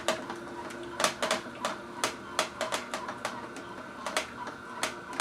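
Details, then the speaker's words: Omega VSJ843 vertical slow juicer chewing its second-to-last hard carrot near the end of 36 carrots: irregular crunches and snaps over a faint motor hum, machine running hard; normal operation under heavy load, no binding. "We're going to go ahead and take our second to last carrot, let it chunk off like 3 pieces, and pull it out. You can really hear the machine running hard."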